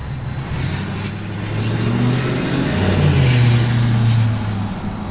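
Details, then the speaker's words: 2024 GMC Sierra 2500 AT4X with Duramax L5P diesel and 10L1000 transmission, loud exhaust with muffler, untuned, driving: deep diesel drone under a continuous high turbo whistle while the exhaust brake is on, normal for boost. "So when you have it an exhaust rate, it does that whistle like continuously because obviously the boost, but"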